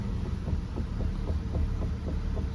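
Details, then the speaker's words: Chevrolet Malibu at a CarMax auction preview, cold start after sitting in colder weather: dull low thumps about four times a second under a deep hum, a steering clunk the inspector suspects is the intermediate shaft where it attaches to the rack and pinion; unconfirmed. "it's that immediate shaft that's in down there this that the where attaches to the r and pinion this whole thing clunk like that"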